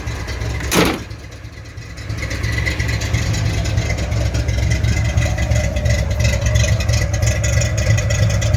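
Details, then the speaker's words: 1983 Fox-body Mustang GT running on its own for the first time in 10 years, with six gallons of gas added: a door thud, then a steady, even idle that holds without stalling; normal idle. "You can hear it run. It is running by itself, guys."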